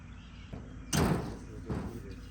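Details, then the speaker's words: 2003 Subaru WRX with built motor, non-running on arrival: two sharp single clicks about 0.75 s apart with no cranking or firing; starter only clicks and won't turn over, even with a jump pack. Starter suspected. "something was going on where it wouldn't start it would just click you can hear the clicks"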